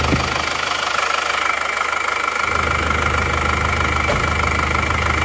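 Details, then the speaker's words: Isuzu Panther Touring diesel reassembled after running out of coolant on the highway, injector pressure adjusted, power steering not fitted: steady, even clatter about two ticks a second with a faint whistle; smooth, healthy diesel idle. "Beginilah bunyinya. Mulus."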